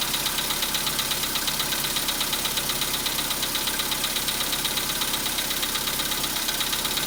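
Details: 2015 Volkswagen Polo Sedan, 91,315 km, cold start at about -10°C air temperature: fast, even, sharp ticking knock over a cold idle that fades as the engine warms; cold-start engine knock, cause unclear.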